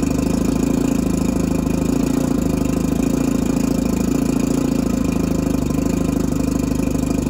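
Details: Mercury 650 outboard on a boat after purchase, unrun since being winterized in 2017, water on and jump-started from a truck: a steady, even idle with a continuous low hum and no misses or knocks. Normal idle after long storage.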